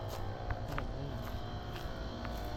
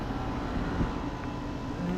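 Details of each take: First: Running Carrier Gemini outdoor HVAC condenser: a loud, rough, rumbling drone with scattered rattles and clatter; sounds bad, cause unknown. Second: Four new Goodman condenser units outdoors, two running: low even hum with soft fan rush, no rattles or knocks; normal running.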